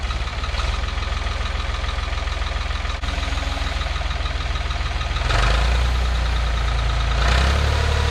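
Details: 1985 Ford 545A 3-cylinder diesel tractor loader backhoe, first cold start after rebuilt injector pump installed and bled: even clatter and steady low thrum at idle, blipping up twice and settling cleanly; runs healthy, though hydraulic pump is really slow.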